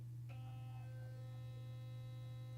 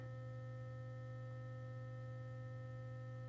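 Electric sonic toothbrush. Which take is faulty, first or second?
second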